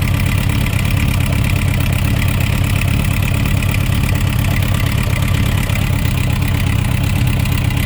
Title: Suzuki Rf900 Engine Knocking Sound Issues